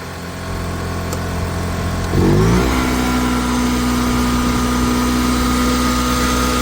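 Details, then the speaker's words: Honda ES6500 two-cylinder liquid-cooled generator after oil pump seal and rotor bearing replacement, running with no load and auto idle off at about 5% THD: engine catches with a brief rev, then settles into a steady, even, smooth drone with no knocks or misses. "sitting at about 5% THD without a load. Such a smooth running machine."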